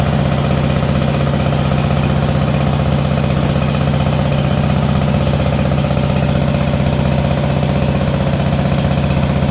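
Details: Allis Chalmers B210 garden tractor, unused about a year, after battery charge, fresh fuel and carburetor bowl dropped: single-cylinder idling with steady, even low thump about two per second, no knocks or misses; healthy idle.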